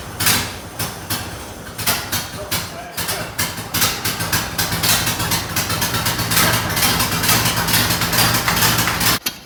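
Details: 1928 Ford Model A 201 cid flathead inline-four, first run after 17-18 years stored, choke on, slight throttle, timing locked slightly advanced: slow, slightly uneven chuffing about two beats per second over a loose idle; running fine.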